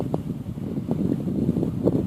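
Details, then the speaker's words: Honeywell tower fan after cleaning and lubrication, now spinning on its own after needing a push: steady rushing airflow, smooth even whir, no scraping or ticking; blowing strong, revived. "Whoa, now it's blowing strong. Now it's blowing pretty good."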